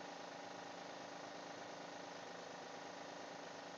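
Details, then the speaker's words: 2012 Honda Pilot at cold start after sitting two weeks, serpentine belt reinstalled after a bad idler tensioner pulley: quiet, fast, even light tick that stops once warm; owner suspects lifters, not confirmed; cold-start ticking. "still making some weird noises I know if you can hear it on the camera I was hoping it was the pulley and it was definitely bad almost sounds like lifters"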